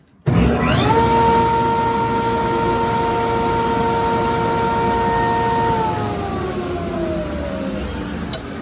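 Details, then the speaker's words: New Grizzly G0495X jointer after replacing failed starter capacitor (read 0 µF) with temporary one; motor snaps to steady hum in under a second, centrifugal switch clicks, runs smooth then coasts down; normal motor startup. "Anyway, yeah, so when I start it up now, check this out. Watch how fast it starts"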